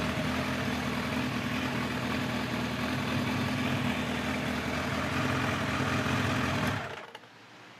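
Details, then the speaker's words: 1989 Kawasaki Ninja ZX-10 (ZX1000) liquid-cooled inline-four, after Keihin carburetor work and new fuel hoses, in neutral: smooth, steady idle with an even hum, then shut off; runs clean, some smoke thought to be old crud burning off. "nice as you can hear she's uh pretty much back to her old self when it comes to running"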